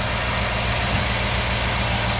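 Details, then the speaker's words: 2008 Chevrolet Tahoe 5.3L V8 with displacement on demand (AFM), 187,000 miles, after replacing the oil pickup O-ring. A steady, even low-rumbling idle without the earlier knock blamed on lifters; quiet and healthy. "all right so here it is as you can hear hopefully there's no horrible noise going on [Music] it's not um making any sort of noise that you would think that the engine is about to blow up or the lifters are gone or anything else it's quiet as it was before"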